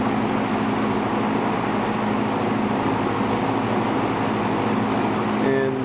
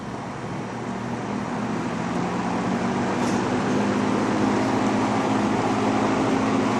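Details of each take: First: Vintage McGraw Edison Zero box fan, about 1970s, just cleaned and motor oiled front and back after years; steady whoosh with low even motor hum and the faint constant buzz it has always had, cause unknown; runs smoothly, no rattle, normal running. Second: Vintage McGraw Edison Zero box fan, around 1970s, just cleaned and oiled, running on low: steady low electric hum with a faint buzzing edge under the airflow rush; it has always buzzed, cause unknown.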